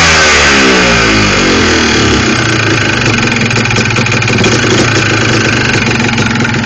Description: Yamaha Blaster with Piston slap also know as Engine Knock!